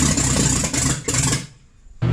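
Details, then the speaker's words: Ford Mustang after 20+ years sitting, first start with the engine reinstalled after its water leak gaskets were replaced. It catches but runs rough and uneven, fading almost out and picking back up, and won't idle on its own; timing still needs adjusting. "as you can see we got it running now we just need to adjust the timing so it actually will stay running"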